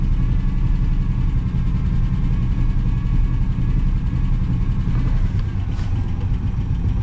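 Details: 1966 Pontiac Grand Prix, 389 CI V8 with automatic transmission, sat in a barn for about 30 years; being idled on an electric fuel pump so the transmission fluid level can be checked. Steady, even low rumble with no miss, knock or hunting; normal idle.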